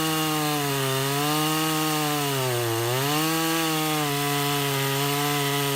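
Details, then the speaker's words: Husqvarna 353 chainsaw restored (gas line and chain drive repaired, carburetor freshly tuned), test cut: steady high two-stroke howl dips as the chain bites wood and recovers cleanly, pulling evenly without bogging; healthy. "all right I think she's gonna run her so that's a 353 I'll run a couple of tanks of gas out of it and then put her on the market"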